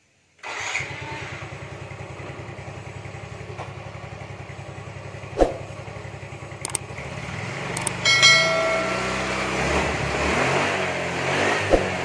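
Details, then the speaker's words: Yamaha Mio M3/Mio Z 125 scooter after new piston rings and top-end repair: catches at once, settles into steady, even idle, then revs cleanly; thick white smoke gone and valve/camshaft ticking no longer heard. "jadi lihat dan suara ngelitik nya juga hilang"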